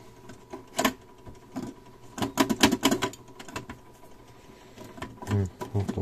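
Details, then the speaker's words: Cassette deck found at a German e-waste dump: cassette mechanism jams. Irregular clicks and plasticky clunks as the lift tries to cycle and stalls, won't close with a cassette inserted; heads appear to advance normally, cause of the obstruction unknown. "закрывается и все что-то там мешает ему блин а вот что мешает я сам не могу понять"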